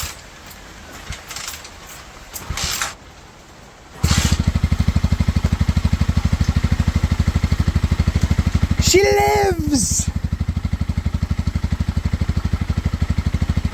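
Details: Cheap Pioneer Nevada motorcycle after new carb fitted and rusty tank cleaned with vinegar, choke off: catches and settles into an even fast exhaust beat with one clean rev and return to idle; runs on its own.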